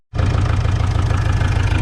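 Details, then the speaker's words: Opel Vivaro / Renault Trafic 2.0 CDTI diesel at idle: steady dull knock each revolution over the clatter, unexplained; swapping injectors 3 and 4 changed nothing. "у нас vivaro 20 слышно какой-то стучу у двигателя сейчас заведу послушаем есть"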